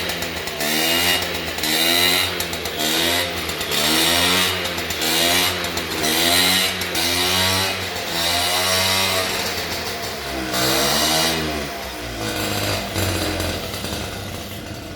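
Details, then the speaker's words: 1978/79 Honda Express 50cc two-stroke moped, parked 20+ years, first start; buzzy revs rise and fall about every two seconds, hunting then dying; surging idle, carb issues and fuel leaks suspected. "okay we got some carb issues that's fine but dude we got it we got it running that is awesome"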